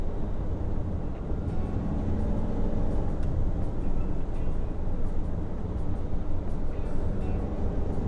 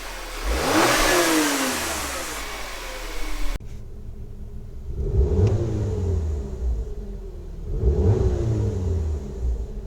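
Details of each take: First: 2013 VW Tiguan 2.0 TSI automatic after fitting a wastegate actuator rod rattle clip, low boost code P0299: fourth-gear cruise around 3000 rpm with only wind and road roar; no turbo wastegate rattle, healthy. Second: 2013 VW Tiguan 2.0 TSI, automatic, code P0299 low boost, stationary revs rising and falling: light metallic rattle from a loose turbo wastegate actuator arm, mostly when rpm drops from 2000–3000 off throttle; the fix part is rod rattle clip 06J145220A.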